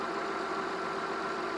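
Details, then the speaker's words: Volvo 960 after PCV system modification, at low-rpm idle: smooth, even, quiet hum with no ticking, misses or hunting; engine running well. "It just shut down. So now it's quieted up."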